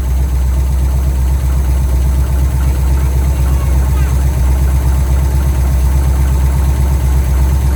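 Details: 1971 Pontiac LeMans V8 idling with a deep, even rumble, steady beat, no knocks or misses; first run in a very long time after tank drained and temporary fuel feed rigged; healthy normal idle.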